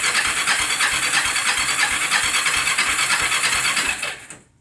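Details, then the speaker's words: Cheap Bayou 300 ATV being started after a new fuel valve and filters were fitted, with a rebuilt carburetor; the starter turns the engine in a steady beat about three times a second for four seconds, then stops without firing; cranks, no start. "so I guess it's time to fire it up see if I can get it started wish me luck"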